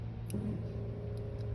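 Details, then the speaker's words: Boat with Holley Sniper marine EFI, electric fuel pump primed via newly installed momentary push button after sitting about six weeks: quiet steady low hum held evenly for a second or two; normal fuel pump priming. "and I can hear the pump priming. You see the light come on. The pump's on back here."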